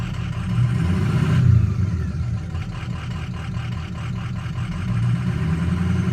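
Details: Ford 6.0 Powerstroke diesel at idle: low rumble pulsing unevenly with occasional stumbles instead of a steady beat; rough idle, owner suspects a bad ICP sensor, unconfirmed.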